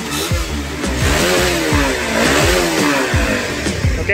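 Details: Honda CB150R after shimming the TPS sensor, which previously caused hesitation and snoring at high rpm: clean blips that rise and fall smoothly with no bogging or snoring near the top.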